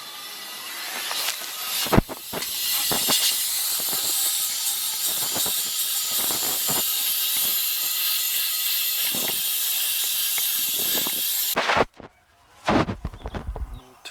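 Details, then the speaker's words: Commercial AC condensing unit, totally out of refrigerant, charged with a little gas and nitrogen to find the leak. A loud, steady high hiss holds about ten seconds at the compressor, with a burnt refrigerant smell. The unit is being replaced. Finding: refrigerant leak at the compressor terminal seal. "leaking sounds like it's leaking right here [Applause] blow the compressor blow right there you can hear it"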